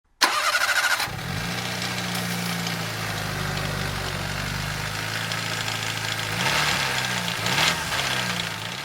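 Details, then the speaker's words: Daihatsu Copen L880K engine cranks, catches and idles with a metallic jangling rattle on top, louder on a brief rev; the timing chain is so slack by hand it nearly comes off: timing chain rattle. "これがそのタイミングチェーンなんですけどタイム中に手で触ってみるともうやばいです外れちゃいそうなぐらいゆるゆるになってますねはい"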